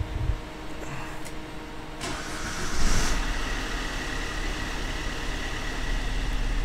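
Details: 2005 Vauxhall Combo B diesel van after injectors cranked without bleeding: brief quiet then engine catches cleanly, settles to steady even idle with no misfire or knock; camshaft sensor still suspected, being watched.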